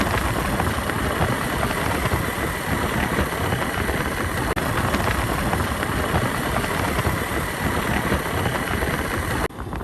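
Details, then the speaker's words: Ranomoto scooter gearbox heard while riding, steady running roar with some wind rush and no whine or howl (a howl would mean a failed gearbox); this is the sound a healthy scooter gearbox should make. "සාමාන්‍යයෙන් අපි scooter එකක් පදිනකොට මේ හඬ විතරයි අපිට එන්න ඕනේ අනිවාර්යයෙන්ම."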